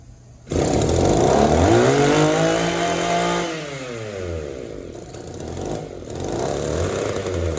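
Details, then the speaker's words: Echo two-stroke trimmer on the bench, with no crankcase or cylinder air leaks and a clean fuel filter. After adjusting the hidden idle mixture screw, it snaps up then sags and bogs between idle and wide open throttle. The carb is running lean; disassembly is planned. "You can tell even after adjustment, you know, the carburetor is not very responsive. It wants to bog a little bit between idle and wide open throttle. The carburetor is running lean."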